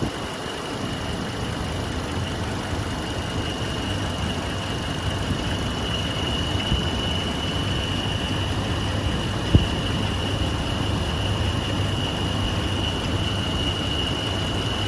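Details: 2006 Hummer H3 at idle: steady high-pitched squeal over low rumble from the belt or a pulley; water on the belt stopped it briefly before it returned, source not confirmed.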